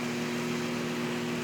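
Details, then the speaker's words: Small microwave oven on the repair bench after new ceramic fuse, transformer and magnetron energized (current shown on ammeter): steady even hum with mains buzz and fan rush, no crackle or arcing; running normally. "Tá tudo funcionando ok."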